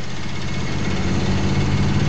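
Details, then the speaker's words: Car with dual exhaust driving at low speed with a deep, uneven rumble and raspy, puffing edge from an exhaust leak that gets louder as speed rises; one pipe is blowing and the other is not. "to go a little faster so you hear how loud it gets faster to go the louder the the exhaust Le goes"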